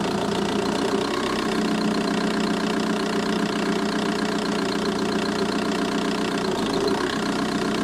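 A diesel idles with a light, uneven tick riding on the clatter at roughly four per second, coming from the engine bay, cause unclear.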